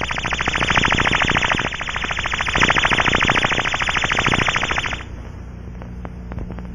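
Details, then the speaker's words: Aircraft fuel cell leak test with an Ultraprobe 2000 in fixed-band mode at maximum sensitivity, with a rubber probe fitted: the shrill warble from the tone generator pulses about three times a second, then fades as sensitivity is reduced, confirming the leak site. "the ultra probe is set at maximum sensitivity and is in the fixed band mode the rubber probe is attached to block out unwanted sound as we get closer we reduce the sensitivity we can also check the meters response and then we confirm the leak site"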